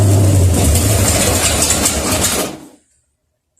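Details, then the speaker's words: Rebuilt 1972 AMC 360 V8, bored .030 over, Holley Demon 750, HEI, mild cam, first dry start with oil but no coolant, static timing: even steady idle with smooth low beat for a few seconds before shutoff; sounds good. "that sounds good yeah better stink"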